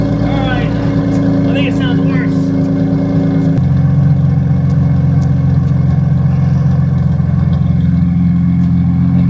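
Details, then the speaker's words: Nissan 350Z first startup with a cheap marketplace aftermarket exhaust with damaged tips: deep, loud idle drone jumping to a heavier, throatier roar around four seconds; too loud, nothing mechanically wrong. "I don't think it sounds better, so I think I'm going to be looking for new exhaust. Tips are screwed up. It sounds too loud for my liking"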